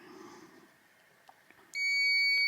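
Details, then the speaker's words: Volvo with ABS fault code 0070 (ABS pump motor signal): continuity tester across an ABS fuse gives one clean, steady high beep, meaning the fuse is intact. "så att piper det till här då har vi en hel säkring hör ni. Ja, den var hel."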